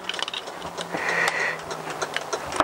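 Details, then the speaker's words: Honda CBR1000F turn signals after a broken wire was found and soldered: a soft, even ticking of the flasher relay in a steady blink rhythm shows the indicator circuit now works. "could actually hear the flasher flashing"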